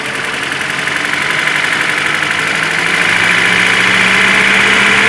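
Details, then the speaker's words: ZMZ 402 fully warm at idle, about 650-700 rpm, oil pressure about 2; dull sound, light sharp metallic tapping about four per second that comes and goes; cause found as piston pin-to-connecting rod play in all 4 cylinders. "Такой вот звук на холостых оборотах. Именно такой вот глуховатый."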